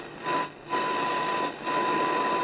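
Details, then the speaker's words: AWA 545P AM radio after alignment, dial at 2A (~1494 kHz, New South Wales), generator signal at 5 microvolts: faint steady test tone through hiss, still heard. Normal weak-signal reception. "Like we're down to I can hear it there just and that's 5 microvolts. Like that's nothing."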